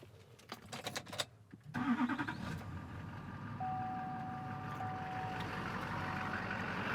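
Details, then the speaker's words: 2004 GMC Sierra 3500 LLY Duramax V8 after replacing the pigtail connector (codes P0202, P0207): after a brief crank it settles into a steady, even idle with no stumble or limp mode; normal idle after repair. "so as you hear the trucks running as it should be no limp mode to be heard"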